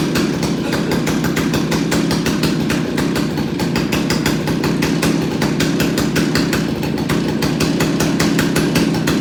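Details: Stihl 028AV Wood Boss chainsaw after carburetor clean and rebuild, before tuning the adjustment screws: fast, even two-stroke buzz steady at a high idle with no stumbles or misses; normal running.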